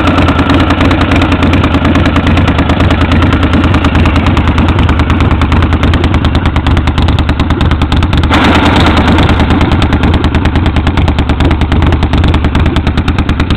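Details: 1948 Harley panhead chopper just rebuilt with valves freshly set: steady, even V-twin idle with a firm beat around two per second, no knocks or ticks; sounds healthy.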